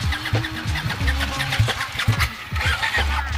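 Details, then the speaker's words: 2014 Ducati 899, under 600 miles, starter button pressed while rotating throttle: steady rhythmic churning cranking, pulses about every half second, never firing, cuts off; hard starting, cause not confirmed. "I'm basically going to push the start button at the same time while rotating the throttle to get the bike to start and it cuts off"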